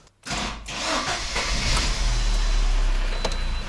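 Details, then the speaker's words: Lada Granta (VAZ 2190) with 160,000 km, no rebuild, after an oil change, first start after front suspension rebuild: quick crank, steady even idle, no knocks or rattles; oil pressure light goes out, healthy start. "сейчас заведем машину потухнет давление масла все что нужно было уже сделал"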